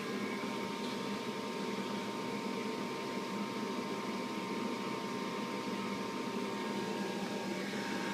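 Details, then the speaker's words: House furnace, flood-damaged a year ago, circuit board replaced: it lights only after a hard knock on the side, then a steady, even blower rush with a faint high tone; intermittent ignition, cause unknown. "there it is not sure why I wish it didn't always do that fire is blazing working fine now"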